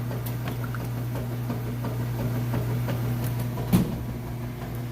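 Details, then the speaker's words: Whirlpool top-load washer agitating a heavy jeans-and-towels load after fill: steady low hum, rhythmic swish and occasional soft thump as the load turns; agitation strong and even, working perfectly. "All right, we moved on to the agitation. See, it's working perfectly, nice, strong."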